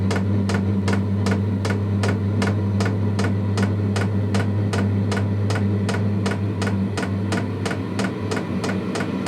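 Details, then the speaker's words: Diesel heater in a homemade truck camper starting on level 2: steady low fan hum with a loud, even fuel-pump tick about twice a second as the flame ignites; running normally. "Yep, there goes the pump. Like I said, very loud. You can hear the flame just kicked on."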